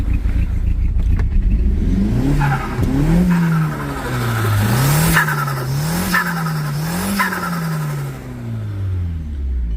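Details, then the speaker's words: MK1 Audi TT after hybrid turbo install, a nut possibly wedged in timing and bent valves suspected: engine revving up and down with an uneven stumbling beat, a slight misfire; turbo fine. "so you get kind of hear it misfiring a little bit by there you hear it misfiring a little bit it res and everything turbo is fine and all that is just getting a misfire"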